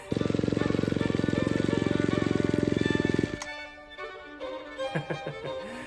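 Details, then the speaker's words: Ryobi C340 string trimmer two-stroke, after fitting a whittled-down, wrong-size ignition coil: buzzes about three seconds with pulsing, uneven beat then cuts out; rough running, suspected electrical issue, coil possibly out of adjustment. "so was actually worse um which does tell me that there's an electrical issue going on I think you know what maybe the coil is out of adjustment"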